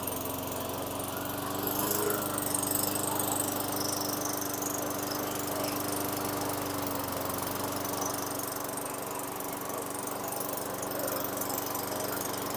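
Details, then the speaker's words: 2003 Craftsman mower, Tecumseh 4.5 hp 148cc engine with new correct carburetor, after raising idle via governor tab and throttle set screw: steady, even single-cylinder putter at constant speed, no hunting or surging; idle properly set. "then I just um turn my screw here till the end of the screw barely touched the um throttle right here the throttle tab so I think it's at a good RPM"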